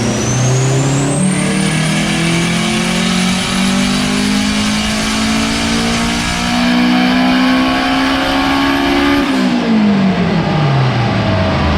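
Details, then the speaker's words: Honda Integra DC2 with turbocharged K20 petrol engine, after a slight misfire was cured by hardwiring the injector pins; pulls cleanly at full throttle under test, pitch rising steadily with no stutter, then lifts off. "so um all right guys as you saw she pulled all the way through and thank god because it is dark outside now so it was just dodging jets wiring really pleased to fix it"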